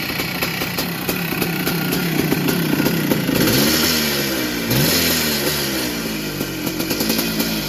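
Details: 1982 Yamaha YZ490 big-bore two-stroke single, started after fuel poured down the head: revs unevenly with a loose metallic rattle over the crackle; owner thinks the motor is getting old, says they all sound rattly.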